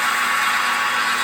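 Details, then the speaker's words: Home-built KMG 2x72 belt grinder clone at high speed, belt on big pulley, rarely run this fast; loud steady high-pitched whirring hiss, even throughout, no knocks or rattles; normal high-speed running. "I don't hardly ever run it. Turn that noisy bastard off. I never run it at that high speed."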